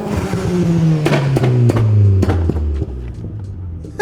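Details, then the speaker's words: Turbocharged Vauxhall Zafira, 285 hp claimed, after tuning at TRS Performance to run consistently at 200 hp: note sweeps down smoothly off throttle with sharp pops and flames on overrun, pulls evenly, no knock. "the guys at TRS had managed to get it running consistently at 200 horsepower"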